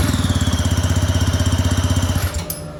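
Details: Go-kart engine on premix: steady, even putt of about thirteen beats a second, cutting cleanly when switched off; idles smoothly, though owner suspects the carb makes restarting very difficult.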